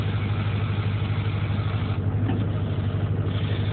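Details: Duramax with ZF6 manual transmission, after a clutch master cylinder modification, pedal pushed by hand to the floor: diesel idle with a steady low rattle as the pedal goes down, meaning the clutch now releases fully; before the mod it didn't rattle.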